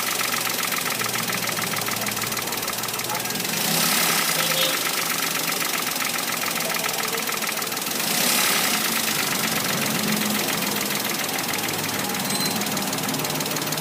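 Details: Toyota Wigo engine: uneven knock at roughly four beats a second under a hissy idle; engine knocking, cause not yet pinned down.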